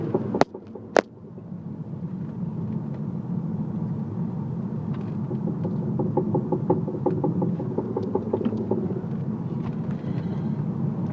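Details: Audi A3 driving: road and engine drone with a quick, uneven knock that comes through under power and stops when coasting, braking or with the clutch in.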